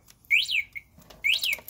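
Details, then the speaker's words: Rosso electric ATV Model X: short rising-and-falling electronic chirps in pairs about a second apart, the controller's warning of low battery charge or a charging problem. "yeah even even this noise that you hear right now that's your first indication that the battery is low and you have a low battery charge"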